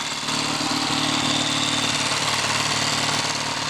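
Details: Lightly customized Triumph T140 Bonneville twin on first start, idling evenly with a steady lumpy beat and no misses or knocks; running fine, with carburettor adjustments and ignition timing check still planned.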